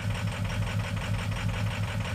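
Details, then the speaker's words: Ford 6.0 Powerstroke diesel at idle with FICM supplying only 30 volts: lumpy idle with uneven beat, dead cylinders from weak injector voltage, possibly bad drivers; replacement FICM to be installed. "I mean, it's not a big difference, but remember too, we don't have the voltage to run this properly. And we may also have some bad drivers."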